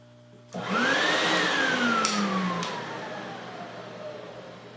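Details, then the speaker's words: Lincoln Electric X-Tractor 1GC fume extractor bought at auction, wired for 120 V and drawing 15 A on high from a 20 A circuit: the motor spins up with a rising whine that settles into a steady, even airflow rush. It works normally. "you can tell, it works."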